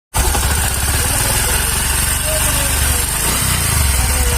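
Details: Bajaj Discover 125: single-cylinder idle with a light, quick ticking from the top end that keeps pace with engine speed; valve tappet noise.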